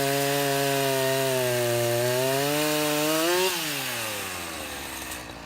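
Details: Husqvarna 353 chainsaw restored (gas line and chain drive repaired, carburetor freshly tuned), test cut: strong, clean two-stroke howl dips under load in the wood and recovers smoothly before easing off; healthy, chain grabby.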